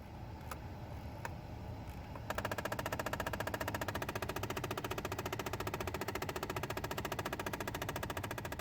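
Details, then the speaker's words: 2010 Dodge Avenger with three blend door actuators (two behind the glove box): rapid, steady clicking behind the dash from a failing actuator, heard every time the door is opened and when turning the hot/cold knob. "noise that you're hearing is the blender actuator and this particular vehicle has three blend or actuators"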